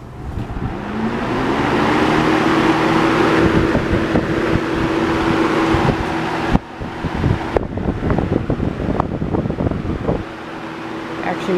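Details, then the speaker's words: Homemade box fan built from Holmes box fan grilles and blade, switched on: even airy whoosh with steady motor hum climbing to speed, a few handling clicks; blade sits close to the grille but runs smoothly. "but i think it came out pretty well weight is a bit close right there to touching the grill but it actually runs pretty well"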